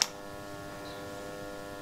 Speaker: Zobaczcie rurka z ciepłą wodą ma 36 stopni a pompka hałasuje i ma 50 buczy tak jakby się paliła tak jakby tak jakby coś było źle podłączone jest gorąca nie wiem